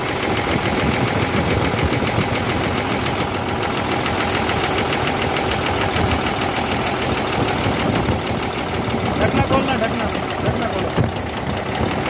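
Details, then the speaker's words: Hino J08C truck diesel engine, overheated earlier, found full of water: heavy, rough clatter with hard knocking at steady revs from cylinders 1 and 2, high back compression; seized pistons and rings after overheating. "The sound is coming from 1 number cylinder and 2 number cylinder and back compression also i will get you checked"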